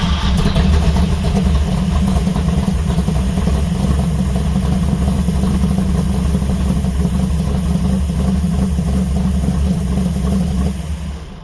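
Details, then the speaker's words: 1970 Dodge Charger 640hp Mopar stroker V8 after sitting, warm at 190°, 75 psi oil pressure: loud lumpy idle with slightly uneven loping beat; timing suspected off, or possibly the new gas. "So, it sounds like her timing might need a little bit of work, but that could just be that the new gas in there."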